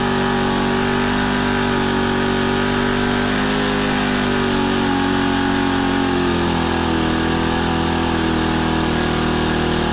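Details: Honda FG110 with GX25 engine, new carburetor, previously ran only on half choke, idle turned up high to warm it before tuning; small engine buzzing at steady fast idle, pitch drifting as adjusted, no surging; normal fast idle.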